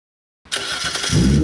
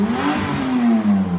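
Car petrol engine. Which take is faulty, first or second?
second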